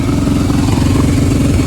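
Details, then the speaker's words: Kawasaki Brute Force 750 V-twin ATV right after new exhaust fitted and oil change; loud steady low-speed lope with even beat, noticeably quieter than before, no rattle or blow-by, normal running; owner still thinks carb needs cleaning. "Couldn't quite wait to test it out. Look at how much quieter this thing is."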